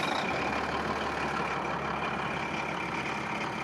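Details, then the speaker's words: Long-abandoned Caterpillar SS250 soil stabilizer, Cat 3406 (owner believes 3406B) diesel, about 24,000 hours, sat at least 5–6 years: even, steady idle with no knocks, misses or hunting, partly buried under wind hiss; engine sounds healthy. "You'd think it was brand new. I think it's got 24,000 hours on it."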